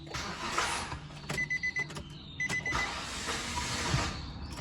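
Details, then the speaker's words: Nissan Frontier diesel cranking, heard with the hood closed: short bursts of high whirring with no solid engagement and no firing; the starter motor is slipping, with the Bendix or the planetary gear suspected before the starter is removed. "Ela tá com problema no motor de partida. Eu vou dar partida, vamos ver se dá pra gente ouvir o barulho que ela faz. Ela tá patinando o Bendix, tá?"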